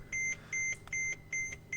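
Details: 2003 Mercedes W211 2.7 CDI (pre-facelift), after a brake caliper repair kit and bleeding: in a quiet cabin, sharp high SBC brake warning beeps repeat about every 0.4 s while the SBC is reactivated with a scanner, ignition on.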